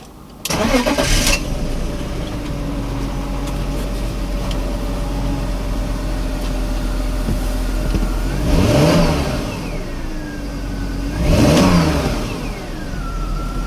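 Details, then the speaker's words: 2001 BMW E39 525i with intermittent no-start and cutting out, after fuel pump and sender removal and hose fix: fuel pump audible, cranks, catches quickly, settles to even idle, two clean revs without stumble; non-start problem solved. "that's pretty much it that sorted our problem that our non start problem"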